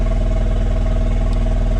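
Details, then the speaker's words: 2016 Takeuchi TL12 V2, Kubota V3800 diesel, about 10–20 hours running at best 50% capacity: lumpy, uneven idle with heavy rhythmic stumble; only two of four cylinders firing. "I've been running this machine like I said maybe maybe 20 hours it's probably half that but it's running at at best 50% capacity"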